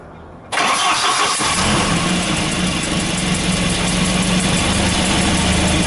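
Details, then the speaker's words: Volvo 240/740/940 B230 redblock with hard starting and rough running, started after worn spark plugs were replaced: the engine catches and settles to a lumpy idle with a tinny buzzing rattle over it from a loose exhaust heat shield. "the rattling you can hear is the exhaust heat shield"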